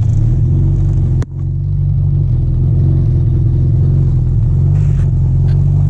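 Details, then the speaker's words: 1991 Mitsubishi Galant VR-4, custom turbo kit, Precision 5558 turbo, E85 tuned, running with loud raw deep rumble like an open header, suddenly got loud and wideband read nothing; exhaust leak from broken custom turbo manifold. "well guys as you guys can tell the Galant does not sound good it sounds like a open header well it is"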